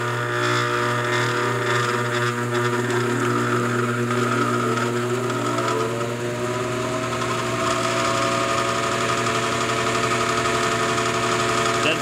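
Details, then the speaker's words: Air handler blower motor, compressor wire disconnected, on a cold morning in the low 30s: a steady buzzy electrical hum with no spin-up; burnt windings, motor to be replaced. "very good to me sounds like we'll be taking that bad boy out"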